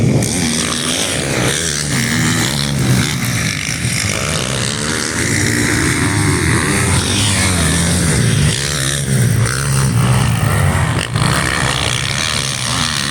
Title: YZ 450 after rebuild